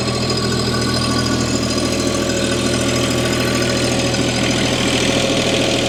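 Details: Bobcat MT100, 3-cylinder Kubota diesel, cold start at about 0°C after a glow plug cycle; even clatter settling to a steady idle of about 160 pulses a minute, no misses; normal cold start idle.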